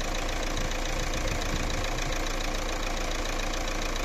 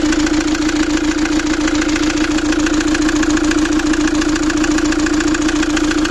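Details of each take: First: Fiat Doblo 1.9 JTD (Opel Z19DT 1.9 CDTi) diesel after a full rebuild: new pistons and rings, head overhaul, turbo repair and new engine mounts. It warms up with a steady, even idle clatter and no knock or misses: normal diesel idle. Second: Fiat Doblo 1.9 JTD (Opel Z19DT 1.9 CDTI) diesel before overhaul: hard regular knock at idle, about three and a half per second, over loud clatter; endoscopy shows scored first cylinder and valve imprint on piston.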